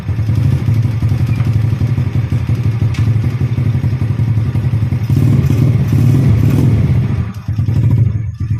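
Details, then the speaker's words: Yamaha Jupiter Z motorbike converted from a manual clutch back to the standard automatic double clutch. Steady engine beat in gear with a brief swell and settle as the clutch takes up; smooth, without judder or slipping, clutch working normally. "okay, you can hear the sound of the engine bro, the sound in the clutch area [Music] is smooth."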